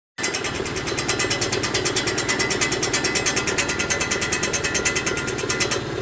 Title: 2018 Mitsubishi Mirage GS making noises